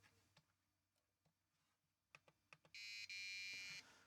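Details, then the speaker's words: 4116 DRAM chip from a Sinclair ZX Spectrum 48k Issue 6A with strange screen colours, tested in a DRAM tester. A few handling clicks, then a steady high-pitched beep of about a second flags the chip as failed, "very very broken". "here we go okay definitely broken very very broken"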